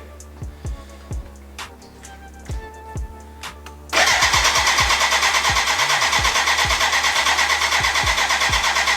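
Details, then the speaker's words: BMW K100 cafe racer, first start after build with choke on: slow starter churn with scattered knocks, then steady fast cranking without firing; fuel leaking from exhaust and first injector, spark present; crank no start from overfuelling. "when i hit the start button to the beginning it sounds like or something like it it would start but then as you heard uh no no sound of like like combustion at all and i have a big leak of fuel under my exhaust it's coming out of the exhaust so this is kinda over floating with fuel which is not good"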